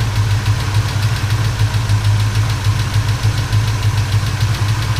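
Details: 1977 Chevrolet C10 V8, after a broken rocker arm and valve lash adjustment with the engine running: a deep, even idle with a light, irregular tap on top, suspected to be a lifter or rocker on one side. Valve train tapping.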